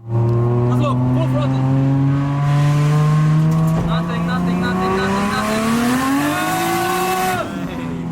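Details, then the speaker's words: Toyota JZX90 drift car with an oversized turbo making power only at high RPM: the engine note climbs slowly and labours through low revs before rising; turbo lag, to be fixed with a new Garrett G25 turbo. "The huge turbo that was on it now made it very powerful, but only on high RPMs, which means that on lower RPMs, the car didn't make any power."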